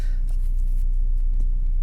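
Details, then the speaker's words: Car with BRC Sequent LPG system after replacing faulty cylinder 4 LPG injector and clearing ECU error: low, even idle, very clean sound, virtually no vibration; all four cylinders firing again. "Sì, il suono è molto pulito, vibrazioni praticamente assenti"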